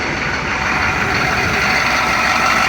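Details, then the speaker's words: 1993 Chevy 2500 turbo 6.5 diesel after fitting a replacement DB2 injection pump, which replaced a faulty, smoky pump. Steady, even idle clatter with no lope, miss or hunting. Normal idle that sounds much smoother, healthier and strong. "Idle's a lot smoother, a lot healthier. Yeah, sounds real strong now."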